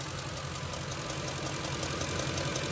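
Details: Ford 5.4L 3V Triton V8 idling: constant sharp fast tick, on the driver's side, from a loose M16 Motorcraft SP-546 spark plug with strong raw-fuel smell; plugs need 25 ft-lb torque.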